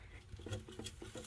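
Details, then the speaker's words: Motorcycle fuel tank that sat about 12 years with gas, petcock removed, shaken: gritty patter and loose rattles of broken-free rust scale sliding and clattering inside, before dumping debris and vinegar cleaning. "Next, if you hear that, that's all that rust scale and stuff that's broken free. So I'm going to bring that outside, shake that off, and get as much of that debris out of there as possible."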